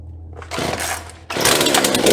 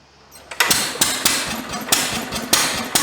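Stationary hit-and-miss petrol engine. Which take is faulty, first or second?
second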